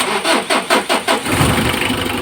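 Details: Mitsubishi L300 4D56 diesel engine hard starting: about five slow, labored cranking beats before it catches and settles to a clattery idle; owner asks what to replace, fuel filter tagged; cause unconfirmed.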